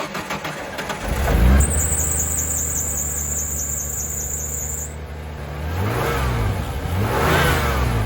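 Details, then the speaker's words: 1993 Ford F-150 six-cylinder, said to have low compression, after replacing a leaking vacuum hose: a brief high squeal at startup, then a steady even idle and two clean throttle blips. Slightly lifter-tappy but running normally. "sounds a little lifter tappy but I don't care that's not my problem that's fixed 100% good enough for what my buddy uses it for which is throwing trash"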